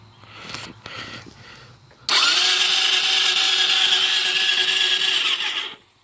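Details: Suzuki LTZ 400 that cut off in 4th gear after under an hour of running: the starter whirs freely for several seconds without turning the engine over. Battery was replaced; starter clutch is suspected, and the owner fears a crank problem.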